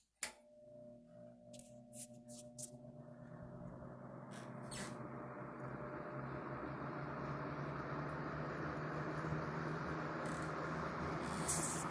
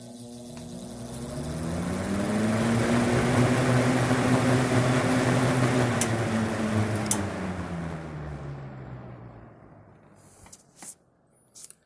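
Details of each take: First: Vintage GE WC2 mini box fan, likely early 1970s, with a clean bearing and long spin-down, started on low. After a few clicks the motor spins up to a soft steady hum with airflow hiss; a normal, healthy fan. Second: Vintage GE WC2 mini box fan, likely early 1970s, run up to high. A steady hum with an extra rough buzz that newly appeared fades on spin-down; the owner suspects a shading coil rubbing the rotor, not confirmed.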